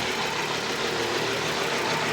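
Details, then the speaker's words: 1997 Nissan Almera/Pulsar N15, GA14DE, about 162k km, first start after sitting about 9 years: rough, lumpy idle running on only two or three cylinders, attributed to fouled spark plugs. "It doesn't run on all the cylinders. Maybe like 2. Yeah, that's due to the spark plugs, obviously."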